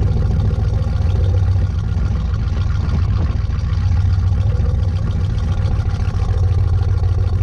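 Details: 1986 Chevy K10 carbureted truck, carb and choke recently tuned, sat about 1.5–2 months in a tarp garage, cold at about -6°F: deep, steady low rumble at an even idle, no misses, knocks or hunting; normal cold idle.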